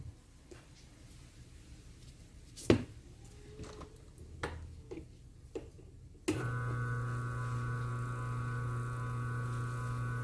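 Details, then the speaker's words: Single-phase motor running on its original 25 capacitor after testing other values, steady even hum with no wavering or roaring, normal run; another capacitor caused a humming oscillation noise. "Então a gente vê que fica um funcionamento plano, ele não dá variação."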